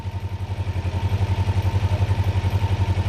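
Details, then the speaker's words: Kawasaki Ninja 500R parallel twin held at 1300 rpm for carb synchronization: lumpy idle at about four pulses a second with uneven firing, vacuum gauges not lined up and bouncing worse as it warms; carburetors out of sync. "They're also bouncing a lot, and I'm going to show you how to solve that bouncing issue, because as you can see, this one's getting pretty wild the more it warms up."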